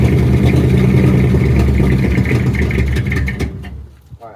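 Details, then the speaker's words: 1967 Ford F250 crew cab after fuel tank cleaning and new fuel hose and filter; low rough idle holds about three seconds then sags and stalls; air bubbles seen in the filter, and owner suspects the choke caused the shutoff. "With the choke, and that might be why it shut off."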